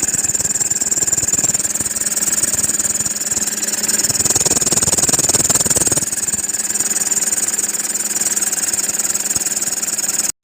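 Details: Toyota Fortuner diesel running with a constant high-pitched squeal holding steady in pitch over the engine, traced to the serpentine belt; serpentine belt squeak.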